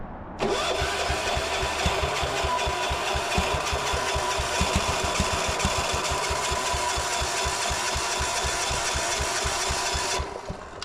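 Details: Gravely C10A repowered with a 418cc Yanmar-clone diesel, cold start attempt after fixing a fuel leak: about ten seconds of uneven cranking chug with no catch. Cranks but will not start; cause suspected, not confirmed.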